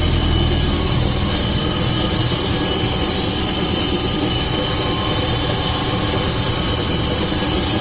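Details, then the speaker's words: VAZ classic (2101-2107) rear axle, car raised on stand, engine running with wheels spinning: constant deep droning hum with rushing noise from worn axle shaft bearing, heard clearly on one side; owner first thought differential; bearing to be replaced. "Так что сейчас я на вывешенной машине заведу и покажу, как он стучит. Такой гул вот издается, надеюсь, слышно."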